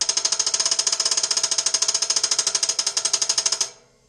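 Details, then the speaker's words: Home Depot air compressor, oil changed, pressure switch adjusted (cut-in about 90 psi): rapid even high-pitched chatter about ten pulses a second that stops abruptly; unloader valve fluttering persists after repeated cleaning, pilot valve looks off-center, unloader to be replaced. "I've had this thing apart like two or three times now and it's still doing the same flutter under that Dratel valve"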